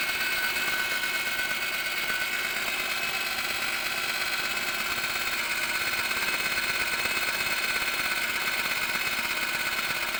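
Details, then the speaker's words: Lada Granta, 81,000 km, running cold: thin steady high whistle and hum when the clutch is pressed. Reading suggests a failing INA clutch release bearing, not yet confirmed. "читая что свист такое происходит из-за выжимного подшипника который пришел приходят в негодность"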